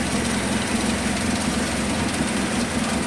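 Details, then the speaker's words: Suzuki Carry 1.0 (ST 1000), hard starting, stumbling under throttle, high fuel use; idle raised, lumpy uneven beat unchanged with number three plug lead off, so number three plug is dead; dead cylinder misfire. "ini nomor tiga enggak ada perbedaannya sama sekali kita lepas ini tanda-tandanya berarti busi nomor tig itu bermasalah"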